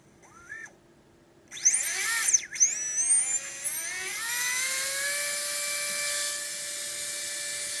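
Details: Readytosky 1804 drone motor, vibration test after calibration: spools up to high steady whine with a rough buzzy edge and wavering tone; bad bearing letting the rotor vibrate, magnets coming loose.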